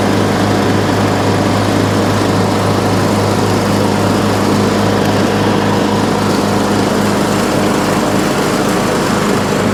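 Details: Troy-Bilt Pony riding mower, revived from scrap after electrical and steering repairs, mowing passes testing the deck: even, steady drone with blade whir, no misses, surging or knocks; runs excellent under load.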